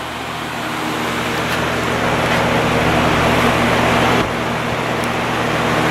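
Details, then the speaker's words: 1950s Patton 18-inch High Velocity fan, 3.2 A General Electric shaded-pole single-bearing motor, running on high before repair: even, steady whir with low motor hum and no clanking, much quieter than usual, balance good. Clanking appears on low. "it's pretty quiet right now it's much quieter than it usually is"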